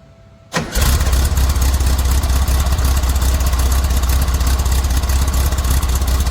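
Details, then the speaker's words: VW Squareback on cold start with the original Bug quiet-pack exhaust and a small pipe, before the muffler swap: quick start into a steady, low, deep idle pulsing about four times a second; the exhaust sounds dull and muffled, possibly restricted. "she sounds a little muffled like it's restricted"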